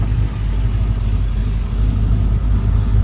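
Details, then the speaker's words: Freshly built engine with its idle raised to 700 rpm. A deep, steady, rumbly idle with a slight lope and no knocking or ticking; the engine sits evenly at the raised idle. "one of the things i want to know oh that's rumbly i like that"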